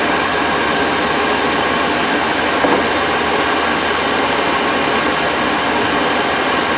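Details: Cheap Chinese diesel night heater from eBay, running after defective fuel filter replaced, at full capacity before cool-down; even steady fan and burner roar, no surging, pulsing or rattles: normal running at full output.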